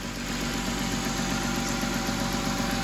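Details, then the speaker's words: Car after a water pump and radiator replacement, idling after its cooling system was bled, with no more bubbles in the funnel. A steady, even low hum with no misses, knocks or gurgling; it is idling normally. "let it run let the fan cycle on and off just to make sure the car is you know cooling back down"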